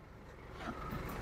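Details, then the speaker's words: Isuzu D-Max 4JJ1 iTEQ with brake fault (pedal only grips on first press): low vehicle hum, then a smooth steady electric whirr without stutter or grinding as the ABS pump motor runs; ABS pump working properly. "Al kita tekan kita bunyi motor tuhs berfungsi dengan baik oke gitu"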